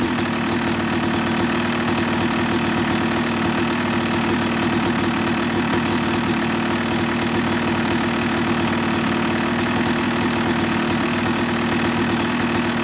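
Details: Yamaha YZ250 two-stroke motocross bike (270cc/250cc), break-in after full engine rebuild (bottom end, transmission, bearings, clutch, power valve); crisp even idle with steady crackle, no misses or knocks; normal, running cleanly.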